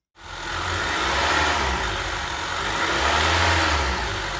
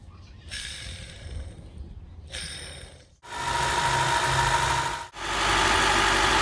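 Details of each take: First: Honda 2.4 four-cylinder (2013–2017 Accord/CR-V class) after replacing the tensioner pulley and serpentine belt: clean rev that rises and settles smoothly with no whine, chirp or rattle from the belt drive; healthy. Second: Honda 2.4 four-cylinder (2013–2017 Accord/CR-V type) engine running, aftermarket belt tensioner pulley used about a year: steady whirring whine at constant pitch over the engine; worn tensioner pulley bearing, replaced with OEM tensioner.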